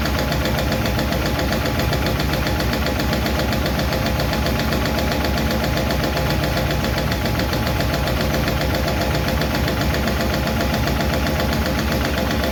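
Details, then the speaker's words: 1951 Chevy truck engine at steady idle after starting, with a light clickety-clack ticking from number 4 intake and number 2 exhaust valves, which are still out of adjustment; number 2 intake seems okay; owner plans to tweak those two rather than start over. "Again, still number 4 intake. Number 2 seems to be okay. Number 2 exhaust is still a little clickety clack."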